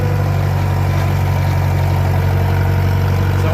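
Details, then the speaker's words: Farmall 504 tractor after float setting fix for a fuel delivery issue, pulling through ruts where it bogged before: steady, even low rumble under load with no stumbling or dropouts; normal running. "This is where it started bogging out yesterday because the floats weren't quite set right and she was low on fuel."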